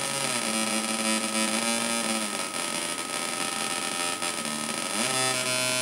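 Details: 555-timer Atari Punk Console on 9 V through PC speakers: stepped square-wave tones shift with the knobs over a gritty buzz and hum. Builder suspects a biasing-resistor issue and picked-up interference.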